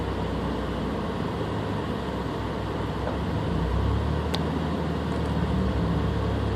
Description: Stock engine, having trouble holding idle and misfiring every time the RPM drops, but no check engine light?